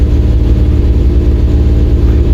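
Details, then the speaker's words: 1953 truck with an LS swap on Holley EFI, fuel at about three times the correct amount: loud, low idle with a regular hitch in the firing beat, running on only seven of eight cylinders; misfire. "got it running but I'm not convinced it's running on 8 cylinders doesn't sound very healthy with three times as much fuel in it as what should be in it"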